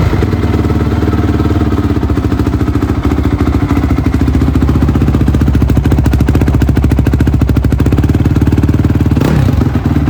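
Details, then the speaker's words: Honda CRF250R after carburetor cleaning and correcting the timing, which was the real fault: crisp, steady single-cylinder idle with an even fast beat and no clatter or misses. Sounds healthy. "Nice. It sounds good. Oh yeah, she sounds pretty good. She actually sounds healthy, which is awesome."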